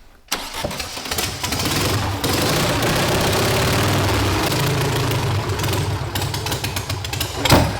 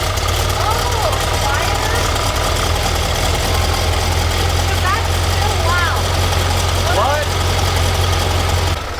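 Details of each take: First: Volkswagen sand rail engine after the plug wires were rewired by distributor position. It cranks, catches, then idles lumpy and stumbling, still misfiring with no improvement; the firing order is still wrong and is later corrected to 1-4-3-2. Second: Sand rail with a newly installed red engine and a just-fitted muffler, at idle after the muffler install: loud, even low rumble with a steady beat and no knocks or misses; still loud but judged normal running.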